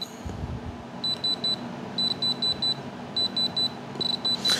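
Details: Diamond Selector II tester probing stones in rings, including small outer-rim diamonds: crisp high-pitched beeps in quick groups of three to five over a quiet room, meaning a real diamond is detected (a different sound means the tip is touching metal).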